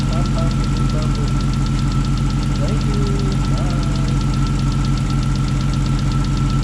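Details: Rebuilt 3.2 VR6 in a Mk4 Golf R32 idling at its first start after the rebuild: steady, even six-cylinder idle with a smooth low rumble and regular pulse, no knocking or misfire. Runs healthy.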